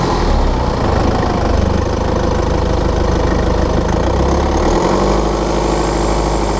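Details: 2013 BMW F10/F11 520d, N47 diesel, cold and under load at 1500 rpm: a dense, rapid ticking rattle over the engine note. Faulty injector rattle, affected injector pinpointed with an ISTA test.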